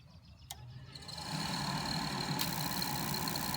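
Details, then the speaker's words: Carrier furnace inducer motor after inducer assembly replacement, started by jumping red and white thermostat wires, no gas: spins up and settles into a smooth even hum, much quieter, no longer rattling the unit; normal operation. "Come on, it's trying to light. Of course, there's no gas into it, but as you can tell, it's much quieter. It's not rattling the whole unit,"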